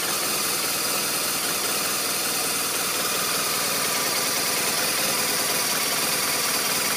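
Uneven idle at about three beats a second with irregular spacing and a busy clattery top end; a rough idle with no clear cause.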